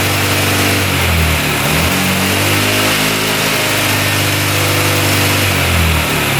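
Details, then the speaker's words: 2006 Honda Metropolitan scooter, first start: drones flat, won't rev high, boggy; carb wet and spitting fuel, running far too rich, choked out; owner suspects the automatic choke is getting no power. "Seems a little boggy to me. really boggy. I took the boot off the carb and it's like spitting gas all over the place."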